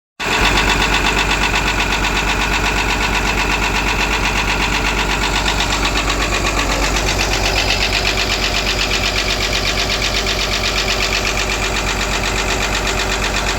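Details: Caterpillar excavator diesel engine: steady run with a hard, rapid knock near 160 per minute over a bright clatter; abnormal knock coming from the rear compressor area.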